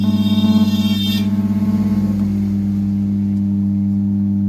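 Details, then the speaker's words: Amplifier with 4440 IC board: steady low hum under the music persisting after it fades; small capacitor being replaced to cure the humming. "दोस्तों नमस्कार आप लोगों ने देख ही लिए कि इसमें हमी की आवाज आ रही है और इसको कैसे दूर करें"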